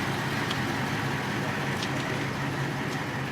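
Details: Ford F-450 after flushing wrong fuel from the fuel system and injector lines: steady, even idle with a low drone and no high-pitched scream left, though still chugging a little.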